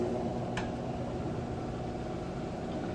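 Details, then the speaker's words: Maytag top-load washer on its first rinse spin: soft, even whooshing hum as the drum spins fast and smoothly, no knocking or thumping; normal spin. "Alright, final spin cycle. See it spinning nice and fast, which is great because those clothes will come out nice and light."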